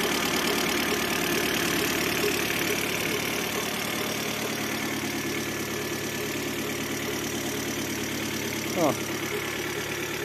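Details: 2006 Citroen C5 1.8 petrol, 125 hp, idling: steady whirring hum from under the timing cover. With the belt off, the compressor bearing also hums, but the cause was a worn water pump bearing.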